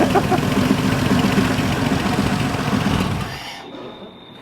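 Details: VR V6 turbo Commodore ute on dyno during tuning, very low ignition timing: rough chuffing idle with a harsh puffing beat, like a dropped cylinder, before cutting out; blown exhaust manifold gasket.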